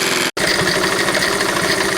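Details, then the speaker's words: 1971 Honda CT70 small single, new Chinese carburetor, idling: light fast even metallic ticking on top; owner thinks valve rocker chatter, cam chain still suspected and to be checked. "it's got that noise which right now i'm thinking is just the uh the valve terrain the valve rockers just making a little bit of chatter there"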